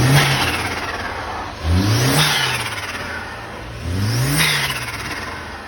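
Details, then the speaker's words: Passat B5 turbo: two quick revs climb and drop, with a fluttering chirp as the throttle shuts, typical of turbo compressor surge on lift-off. "o cara tá duvidando a galera tá duvidando falando que esse barulho do flutter que teve do vídeo anterior é de mentira não é não aí tá aprovado ou não"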